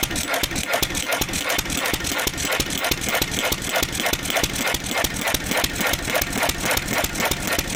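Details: 1927 IHC M stationary engine, restored 20 years ago and not run in 19 years, running only on starting fluid because its fuel pump diaphragm is shot. A quick, fairly even string of sharp firing beats: normal hit-and-miss running.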